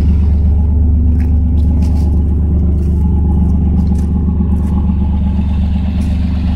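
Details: 1992 Chevrolet S10 Blazer idling on a cold day after plug wires replaced to cure a multi-miss: even, steady low rumble, no stumbles or skips, no check engine light; leaking catalytic converter and a vacuum leak noted.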